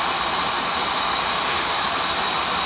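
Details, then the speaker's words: Residential oil-fired boiler burner on an annual service after a bad nozzle was replaced with a new one, with a big improvement. Steady even roar of flame and fan with no pulsing, sputtering or rumble: the burner is firing cleanly. "put a new one on that's running better now big difference see it yeah that was a bad nozzle that I put in there before the first one"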